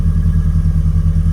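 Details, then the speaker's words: Ford Escort XR3i that previously struggled to start, now after cleaning, a distributor check, a new fuel filter and a timing check. A low, even idle with a steady pulsing beat, holding on its own without revving. Normal idle. "But as you can hear, it started. So all I can say is it's been a success. It's idling on its own."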